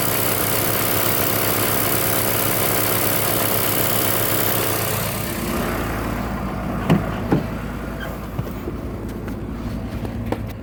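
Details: 2003 Cummins diesel, 176k miles, stock injectors, Smarty Touch on level 5, warm engine on a 60+ degree day: it stays on high idle with a quick, uneven lope, then drops off. The exhaust brake idles it down. The owner wonders about a bad injector.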